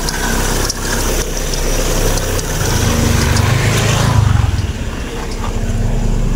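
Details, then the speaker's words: Proton Persona Campro after new spark plugs: low steady idle rumble, coarse noise gone, slight chirp left from worn tensioner bearing and fan belt; charging at 14 V, idles normally. "Okey, bunyi kasar hilang eh. Ada bunyi cekritik sikit. Biasa tu bunyi tensioner."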